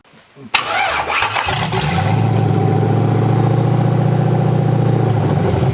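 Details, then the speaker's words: LS-swapped 4x4 van, first start after fuel system work, cranked with jump box plus extra battery: starter spins briefly, engine catches and settles into strong, steady, even idle with low rumble; normal start and idle. "all right so now we got the jump box and the battery let's see what happens it's Al alive hell yeah"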